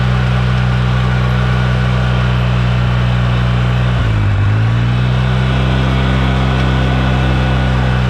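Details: 2009 Polaris RZR 800 S: steady low engine drone with a loose, uneven rattle from the rear end; owner suspects the differential, pinion nut or CV joints/axles; rear-end rattle, source not pinned down.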